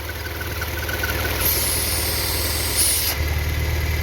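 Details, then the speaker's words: Citroën C4 2.0 EW10 engine: faint airy vacuum hiss, seeming to come from between engine and gearbox, louder on acceleration, stopping when the valve cover is touched; ruptured PCV diaphragm in the valve cover leaking vacuum. "Tá então turma esse esse motor ew10 e também o PHP que uma membrana na tampa de válvula essa membrana essa membrana se é um diafragma né ela se rompe e fica dando uma um vácuo no carro puxando ó tá fazendo barulho na hora que você acelera"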